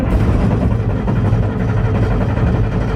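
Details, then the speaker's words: Massey Ferguson 760 diesel on original lift pump without electric pump: steady low rumble, never fires; loses prime back to tank, air entering through leaks on injection rail; runs only with electric fuel pump. "nope nope she doesn't want to run so we'll go and put you like the pump on it this is why we quit running it because of that"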